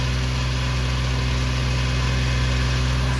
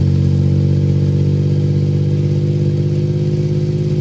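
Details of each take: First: 1993 Suzuki Carry mini truck on its straight muffler before an exhaust replacement, started cold: quick, even high idle with a loud, raspy exhaust drone; idling high because of the cold weather. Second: 1993 Suzuki Carry mini truck at idle after a custom exhaust replacement with a temporary flex-pipe setup: a steady, deep, even burble with slight rev rise and fall and no rattles or leaks; the exhaust sounds healthy.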